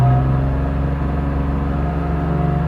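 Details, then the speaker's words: 2002 BMW E46 M3, almost 200,000 km, cold, after replacing throttle position sensor: engine revs slowly and evenly with clean steady note, no sputter or hesitation; normal revving. "You know, before it was sputtering like that at this RPM, but there's nothing. Just slowly all the way up."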